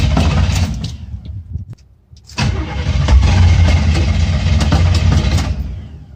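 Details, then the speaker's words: Chevrolet Scottsdale small-block V8 after new ignition parts, not started for a few weeks, choke off; steady cranking at about four beats a second, a pause, more cranking that never catches: crank no start, no spark. "Does it sound like it's trying to start? Oh, come on, biatch. Did it not just fire?"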